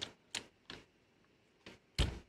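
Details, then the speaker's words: National NV-G20/NV-G21 VCR mechanism running on known-good electronics, no tape, loading into play: five crisp mechanical clicks then quiet; normal mechanism operation. "look at that and it grabs perfectly the supply and takeout reels move properly as you expect very light back tension on that"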